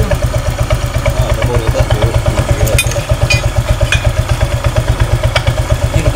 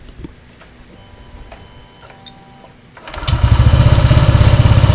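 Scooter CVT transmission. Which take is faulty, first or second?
first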